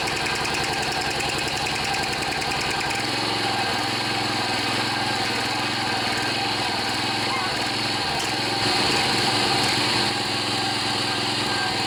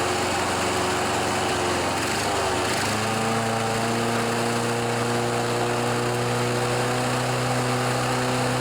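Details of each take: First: John Deere 14PB self-propelled mower with Kawasaki 5.0 hp OHV engine, after carburetor cleaning and rebuild (plugged slow and main jets) following long outdoor storage: catches at about three seconds and settles into a quick, steady, buzzy run without surging; normal. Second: John Deere 14PB mower, Kawasaki 5.0 hp OHV engine, after sitting outside and a carburetor clean and rebuild: it runs unevenly and surges, then its pitch drops and steadies once the blade clutch engages. The owner says the carb is actually working properly.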